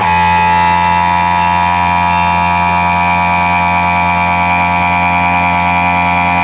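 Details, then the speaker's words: Porsche 991 Cup race car on ignition in workshop: steady electric whir and buzz of the air-operated (non-hydraulic) gearshift pump and the cooling fan running normally, no surging or knocking. "ce bruit c'est la pompe qui permet le passage des rapports c'est une pompe qui est c'est tout basique mais c'est comme ça que fonctionne ce genre de voiture c'est pas quelque chose d'hydraulique c'est c'est de l'air et le ventilo que vous entendez c'est le ventilo qui permet à cette petite usine à gaz de refroidir"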